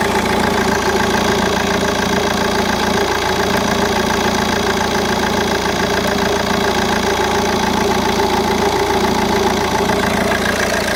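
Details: Opel Vectra C CDTi Z19DTH diesel idling smoothly until the AC is switched on, then a busy uneven rattle of three or four beats a second over the clatter; AC compressor brand new, cause not pinned down.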